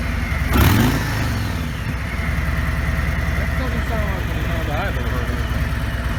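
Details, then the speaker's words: 2017 Harley-Davidson Ultra Limited (FLHTK), Milwaukee Eight 107ci V-twin, from the rider's perspective; quick rev blip then deep, even lope settling at idle, no knocks or ticks, quiet like a Honda; normal idle and revving. "or they might even still it sounds like a Honda now credit for it"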